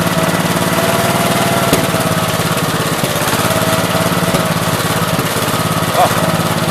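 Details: 1969 Gravely 432 with a rebuilt K321 14 hp single-cylinder engine and a new piston, running for about half an hour. Steady putter at a fast idle with no knock or tapping; healthy normal running. The owner suspects a fuel pump problem causing bad fuel flow.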